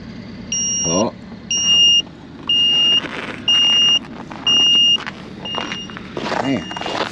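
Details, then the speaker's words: Old Ford F-150 cold start at minus 40 after sitting 4–5 days: jump pack, dropped to 54% charge, gives a steady run of high beeps about once a second, five or six in a row, warning of low charge. "Gotta wait for it. Beep, beep, beep, beep, beep, beep, beep."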